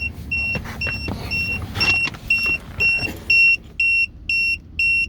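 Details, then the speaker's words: Tymate TPMS monitor alarm: air hissing as the tire is deliberately deflated, then a high beep repeating about twice a second, triggered by the rapid pressure drop. "i'm actively letting air to the tire and the alarm goes off because of the the uh rapid change in pressure"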